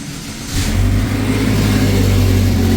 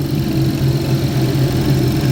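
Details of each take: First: 2011 GMC Terrain with P0341 cam performance code, stone-cold engine, scope on crank and cam sensors: catches and runs with an uneven, lumpy beat, then shuts off; rough running then stall, something suspected loose. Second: 2011 GMC Terrain with past P0341 cam code, warm after 20-mile drive while cam wiring is wiggled; no fault, only an inefficient catalyst. Low steady hum, no stumble, sputter or ticking; normal warm idle.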